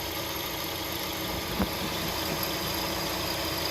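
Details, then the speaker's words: Hyundai Tucson idling with AC on and compressor clutch engaged: faint steady whirring hum from the worn tensioner/idler pulley bearing, heard after refitting the belt; bearing to be replaced. "it looks like this bearing is making a noise definitely making a noise i got the ac on the clutch is engaged"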